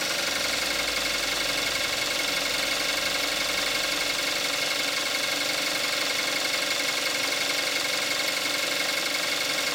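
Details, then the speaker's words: 2014 Kia Forte5 2.0 GDI, 41,000 miles, Amsoil 5W-30 synthetic, engine more warmed up: steady idle with the usual fast injector clatter; nothing out of place, normal idle. "This is what it sounds like with the engine more warmed up."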